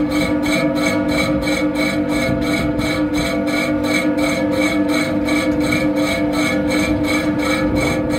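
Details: Worn fan bearing: the fan hums steadily under a rough, rasping grind that pulses about three times a second.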